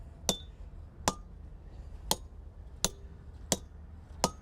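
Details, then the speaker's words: Six sharp hammer taps on wedges in a stone, about three-quarters of a second apart, each ringing briefly and high; harder stone, tightening up rather than crushing, wedges loaded and close to splitting. "oh that one's definitely different its tightening up a lot more it's a lot harder stone there and it's just not it's not crushing so much"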